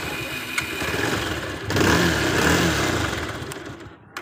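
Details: Bajaj Pulsar 220F after the customer-complained poor engine sound was fixed by resetting the timing and cleaning parts; catches after a short crank and settles into a steady, even idle with no knocks or rattles; sounds healthy.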